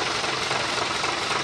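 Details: Fuso 220 PS diesel truck engine after repair of a clattering, detached injection-pump timer: the timer is reinstalled and the noise is gone, leaving dense steady diesel clatter at idle with no knocks or misses. Normal idle.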